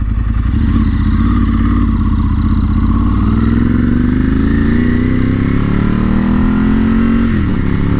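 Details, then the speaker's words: Ducati motorcycle after an $80 repair attempt that didn't fix it: revs climb sluggishly and the note strains as the throttle opens. It bogs under heavy throttle but goes fine when the throttle is feathered; cause not found. "it doesn't want to go heavy throttle it will go quick if you like feather the throttle but if you go hard on the throttle it's not going to do anything"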